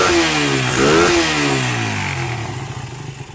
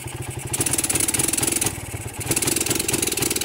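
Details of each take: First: Suzuki Satria motorcycle, running with battery then battery disconnected, aftermarket regulator/rectifier fitted: single engine blips up and settles back, clean firing, no stumble; revs freely. Revving fault without battery traced to the spool. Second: Suzuki Satria motorcycle running with battery removed: rough, uneven beat, revs rise then sag and won't take throttle, fine with battery fitted; weak stator suspected; misfire and no throttle response without battery.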